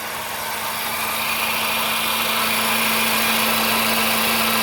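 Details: Vehicle idling with abnormal noise since driving through a flooded street: steady idle with a constant mid tone and a strong hiss on top. The cause is unknown.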